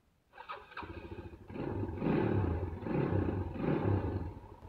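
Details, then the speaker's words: 2008 Yamaha Scorpio 225 motorcycle, rough-sounding after 5 months unused, after right-side engine teardown and repair: catches after a couple of cranks, even idle with gentle blips, no knocking, clutch in and out; normal start and idle. "Nah, suaranya udah lumayan halus nih ya. Nah, ini kalau ee koplingnya dilepas seperti ini ya."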